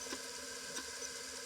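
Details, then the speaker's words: Apple II Disk II floppy drive booting Apple DOS 3.3 from slot 6: quick dry rattle as heads repeatedly step to track zero, since no track-zero sensor; normal boot recalibration chatter. "And what that will do is you'll hear the rattling noise. And then you'll see it will actually load up Apple DOSs 3.3."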